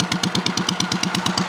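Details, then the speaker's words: Cub Cadet 3050 4WD small single-cylinder with a homemade on-the-fly muffler: sharp, rapid exhaust barks with loud raw crackle, sounding almost unmuffled; worse when revved, acceptable at idle; owner plans a quieter replacement. "See, it just sounds like it ain't hardly got no muffler at all."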